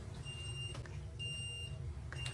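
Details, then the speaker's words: Well-water UV unit (last stage after sediment prefilter and softener) beeping steadily about once a second with a low-UV alarm; the brine tank has no salt, so hard water is thought to be coating the UV sleeve. "which shows low UV level and that could be caused by hardness of water there's no salt in the brine tank as you can see"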